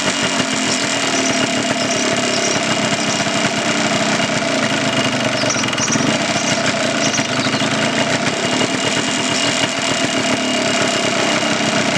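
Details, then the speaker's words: 1989 Yamaha Blaster 200 two-stroke, revived after 15 years, airbox cover and last muffler baffle removed, still warming up: loud, raspy idle running slow and slightly uneven; idle speed too low, mixture screw has little effect. "Idle it up a little bit, it seems like. Not getting much out of the mixture adjuster. It's I can feel it or hear it make an effect, but it's just not idled up enough."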